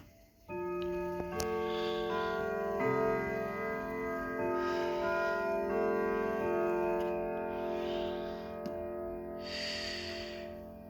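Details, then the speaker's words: Sligh triple-chime grandfather clock, recently repaired, set to Westminster: clear, evenly spaced bell tones ring the quarter-hour tune over a steady tick; normal chime. "all right hang on one minute as you can hear it sounds really well but hang on there we are okay so you heard westminster"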